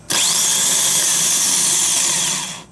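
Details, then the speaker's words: New replacement starter motor for a 4th-generation Nissan Maxima, bench-tested off the car: quick spin-up to a smooth, even high whine with no grinding, unlike the old starter's slow, grinding crank. "and it's much smoother okay i'm not hearing that kind of grinding noise"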